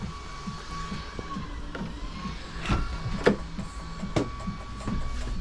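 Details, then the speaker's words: Audi 80 revived after 9 years sitting, with chewed wiring spliced: central locking now works, giving several short, sharp clunks as the door lock actuators open and close, with faint music in the background. "Right, we've got the central locking working. Open. closed."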